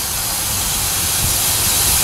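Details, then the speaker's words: Turbo 5.3 LS Chevy Silverado, fuel injector pushed out of the 60 PSI fuel rail for lack of a retaining clip: loud steady high hiss of pressurized fuel spray over a muffled idle; fuel leak. "went out to fire it up one morning and I heard it hissing and I'm like, oh, one of the fuel injectors popped out."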